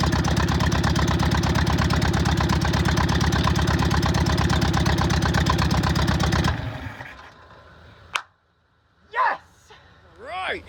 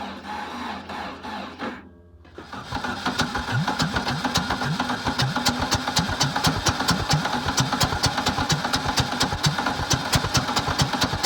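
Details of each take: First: VW Bug air-cooled flat-four after new plug wires, ignition coil and distributor, fed fuel from a bottle: even, steady putter for several seconds, firing regular and clean, then shuts down as bottle runs dry; normal idle. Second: VW Bug engine with new spark plug wires, new ignition coil and new distributor, fed gas in carburetor and from a bottle: cranking stalls briefly, then catches into a rapid, slightly uneven beat; hard starting.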